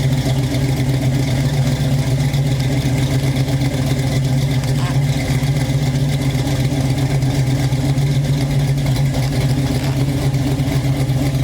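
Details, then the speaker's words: Chevy Nova fuel-injected V8, after the lifters were fixed and first start since last night: deep, even rumble with no lifter tick and good oil pressure. Only a faint puff from exhaust leaks at the collector. Runs healthy. "car runs pretty good actually runs very well um it's very healthy has good oil pressure doesn't have any kind of lifter take anymore"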